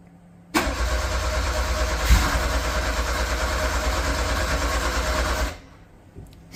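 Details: Metro GTI race car on standalone management (speed density, 190 injectors, wideband) on its weak small race battery: about five seconds of even, steady cranking at roughly three turns a second that never fires; cranks but won't start.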